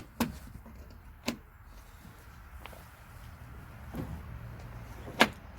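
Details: Range Rover Evoque door lock actuator, tested after refitting during repair of an intermittent central locking fault: a few crisp single clunks a second or more apart as the latch throws and releases, no grinding or buzzing; working properly.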